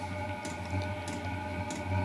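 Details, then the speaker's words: Diesel parking heater on first bench test before installation: crisp ticks about every 0.6 seconds over a steady low hum as the fuel pump starts, a little roaring beginning; normal pump ticking. "Oh, the fuel pump just started and I can hear a little roaring."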